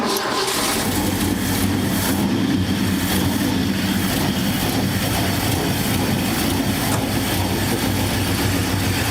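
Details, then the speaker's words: Abandoned 1969 Ford F100 revived after 30 years: steady rumble with slightly choppy loping beat at idle, no knocks or misses; possibly an aftermarket cam; lopey idle. "Sounds pretty good. Yeah. May have a cam in it. It sounds like it, don't it?"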